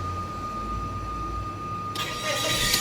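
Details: Mazda 3 automatic that had hard starting, just after fuel pump replacement with the line primed. A faint hum, then it catches on the first crank and idles smoothly: a normal, healthy start.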